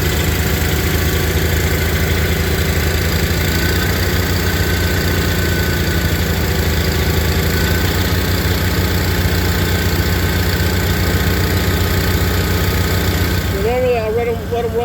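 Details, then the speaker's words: Onan tractor engines cold-started on a mid-20s °F morning on full choke and a quarter-to-third throttle: low, rumbling idle with a steady beat, levelling out on half-to-third choke. Normal cold-start idle. "for a minute or so you know half third choke and uh they'll start leveling out you'll hear them"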